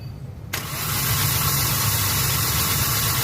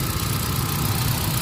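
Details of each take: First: Hyundai Accent petrol engine starting to a rough, lumpy idle with strong vibration, no power and flashing check engine light; codes P0300, P0301, P0302: cylinders 1 and 2 misfiring from no spark, suspected faulty ignition coil. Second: Hyundai Accent gasoline after fixing P0300/P0301/P0302 misfire (no spark at cylinder 1) by fitting a genuine ignition coil: codes cleared, check engine light off, engine idles smoothly with a steady low hum and no more vibration.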